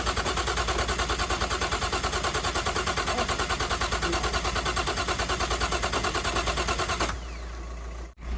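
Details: Nissan R33 Skyline, freshly built forged RB engine, first start: starter churns steadily about three turns a second for seven seconds with no firing; traced to bad spark plugs, and it later started.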